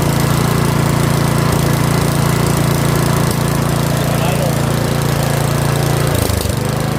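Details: Curb-find Yard Machines 21-inch 179cc OHV single-cylinder snowblower, after a full-throttle run, throttle a hair above the stop; steady, even putter at about three and a half beats a second, holding idle cleanly, a normal idle.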